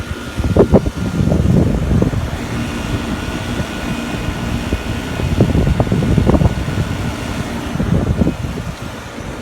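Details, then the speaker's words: Trane rooftop package HVAC unit with the panel pulled: steady low compressor hum with a faint high tone and no airflow rush; the compressor runs but the blower motor is not spinning, cause being diagnosed. "And we're running. You can hear the compressor running. We just pulled the panel and motor's not spinning."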